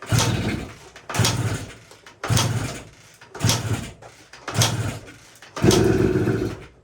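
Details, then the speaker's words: 1980 Suzuki TS185 two-stroke enduro, sat behind a shed over 20 years, oil put down the cylinder through the plug hole: kicked about once a second, ragged bursts of popping until it half-catches and sputters; owner hopes oil clearing and longer running free the rings. "Ooh. You got something there. Okay, signs of life, that's good. I can hear it kind of wanting to go."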